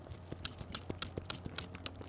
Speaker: the thing that's broken is the front wheel hub bearing I don't know if you remember in my last track Day video it was giving me some trouble well now it's totally broken it's making some nasty nasty noises you listen to this